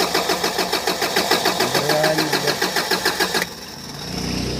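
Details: Bongo 3 diesel with a hard-starting complaint. The starter churns at about three and a half even compression pulses a second, but the engine never catches, then cranking cuts out: long crank, no start.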